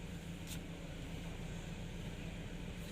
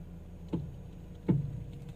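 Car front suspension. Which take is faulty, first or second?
second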